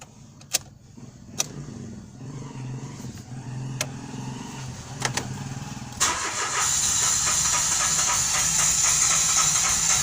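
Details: Mitsubishi Mirage G4 needing gas pedal pressed to start: several sharp clicks and short cranking bursts before the engine finally catches and settles into steady idle. Hard starting, cause not identified.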